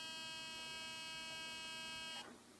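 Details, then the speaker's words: Olympus OM-D camera in aperture-priority mode: at switch-on a thin, steady high-pitched buzz from inside the body for about two seconds, then cuts out; abnormal noise judged a fault. "症状、スイッチを入れます。こういう異音がします。"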